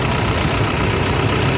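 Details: Toyota Innova 2KD diesel at idle during alternator charging test: steady smooth low rumble, no knocks, rattles or whine; cranking above 11 V, charging test OK at 13.81 V. Normal idle.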